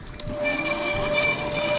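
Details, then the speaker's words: Bee Cool Bikes Bee Adventurer e-MTB on a trail ride: a thin steady squeal rings on and off over the rumble as the wheel turns; the rotor drags and gets hot, with the caliper found loose. "all right it's time to head back home because this rotor is just getting on my nerves now it's just too loud it's too annoying"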